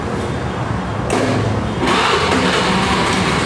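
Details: Honda Beat carburetted scooter after repair of an electric starter that only went tek-tek: the starter catches on the first press and the engine fires into a steady, even idle; normal electric start.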